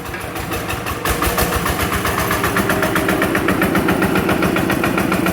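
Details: TF85 single-cylinder diesel, freshly reassembled with new side-cover O-ring, gears checked good: even, unhurried thumping at idle, about four beats a second, no knocks or rattles; normal smooth idle.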